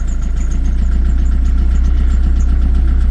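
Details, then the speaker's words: 60ft narrowboat diesel engine, suspected fuel problem: steady low throb at about four beats per second, running smoothly after a dodgy start; fuel running okay. "so after a bit of a dodgy start she started"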